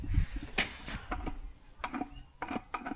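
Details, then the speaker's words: Gearbox, shaft turned by hand: irregular metallic clunks and gritty clatter as the gears catch roughly; gearbox is broken and needs replacing. "That sounds horrible. We need a different one. So that one's broke as well, and that one's in the boot."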